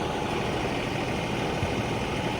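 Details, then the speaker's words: Engine idling smoothly with an even, steady rumble after being warmed up for about an hour in cold winter weather; the no-start was traced to a fuel temperature sensor code, possibly frozen. "well guys as you can hear it is running now been working on it for the last hour getting it warmed up and trying to check the system and everything"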